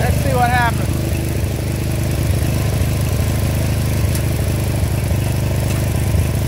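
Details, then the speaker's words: 30-year-old Murray riding mower, 13.5 hp Briggs & Stratton overhead-valve engine, running steady and even with no popping or backfiring after new carburetor. "so and that my friends is how you do it no backfiring"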